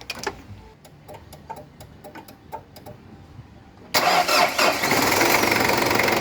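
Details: Ford Ranger 2.5 cranking slowly despite new battery (13 V) and serviced starter and alternator: laboured cranking about four strokes a second, then a loud clattering catch.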